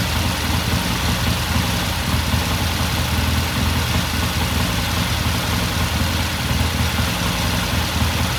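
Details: 1969 Triumph TR6 motorcycle idling after pilot jet cleaning and pilot air screw turned in half a turn: steady, even twin-cylinder idle with low regular beat, no misses or knocks; normal idle.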